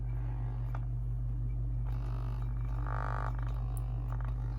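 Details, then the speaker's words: Infinity speaker after first-attempt surround re-foam, fed a ~50 Hz tone through an amplifier at low volume: steady hum with a rattling buzz flaring up as the cone/surround rubs; buzz means cone not aligned (suspected). "But what that does, turn the volume up on that a little bit, you can kind of hear when it buzzes like that. When it's doing that, it means it's not aligned."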